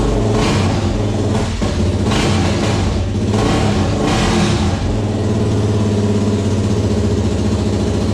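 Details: Suzuki LTZ400 single-cylinder restarted after engine work, with about half a quart of oil added. A few smooth rev blips, then a steady, even idle with no knocking: running fine.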